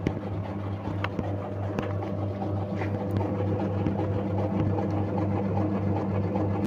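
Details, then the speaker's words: Samsung single-tub top-loading washing machine unused for nearly a year, wash motor bench-tested in reverse by moving the yellow wire: smooth, even low hum, steady pitch, no knocks or scraping; runs cleanly in reverse. "Tourner vers la gauche, essayons la rotation inverse Maintenant, pour tester la rotation inverse, il suffit de déplacer le fil jaune"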